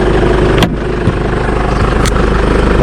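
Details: Jeep Wrangler JK 2.8 CRD diesel idling after an oil change and fresh oil fill; even clatter with a few handling clicks, much smoother now with nothing out the back: a normal idle.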